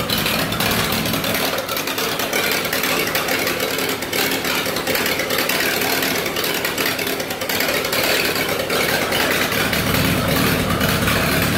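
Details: 1948 Lincoln SA-200 welder engine, unfueled for years, running off a rigged-up fuel supply with the carburetor back on: a steady, even run with a busy clatter over a full exhaust note and no knocks or misses. Normal engine run.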